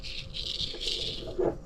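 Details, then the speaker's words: Worn power steering pump shaft bearing from a Honda, spun by hand during the pump rebuild: dry, gritty rattle, not good, so it is replaced with a new bearing. "you can hear that, not good. So, out with the old, in with the new."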